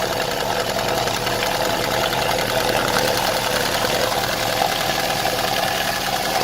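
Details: Opel Vectra A engine, valve cover off at idle: light, fast, even ticking from the valve train. The 8th cam lobe is worn and opens too little; oil reaches all lobes, and the noise seems to become normal.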